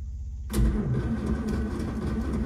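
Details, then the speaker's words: Daimler limousine, parked 32 years since 1990, electric fuel pump on the ignition, float being primed: starter spins the engine at a steady churning pace but it never catches, starter then sticks; crank no-start, carbs not yet getting fuel. "So with any luck, we're getting some gas in there and a little cranking, and maybe she'll go."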